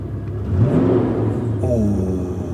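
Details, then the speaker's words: Rough, under-maintained Porsche 928 V8 just started, good oil pressure: deep smooth throaty rumble swells on a quick blip and settles evenly, no knocks or misses; healthy rev. "that sounds throaty"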